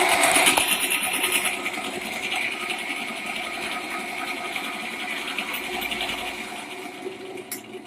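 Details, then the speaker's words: Khaitan Farrata stand fan in for repair: loud, rough whirring rattle with rapid clatter around three per second over the blades, pointing to worn, sloppy motor bearings. "तो दोस्तों इसमें यही problem है कि यह आवाज बहुत ही ज्यादा कर रहा है"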